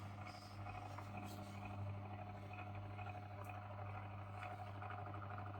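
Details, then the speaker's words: Old paper laminator after repairing its inner heating rollers that would not rotate, heating elements warming: quiet steady hum with faint gear whirr as the rollers grab the paper; normal running after repair. "And there, it grabbed it. This isn't the fastest process ever, but I think it works."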